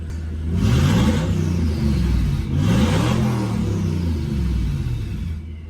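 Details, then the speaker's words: Ford Focus project car with twin-turbo V8 swap, warmed up, idle set around 800 rpm, first start with Focus ST clocks; engine blipped several times, rising whoosh of turbos spooling over the revs, no knocks. "Ooh, turbos!"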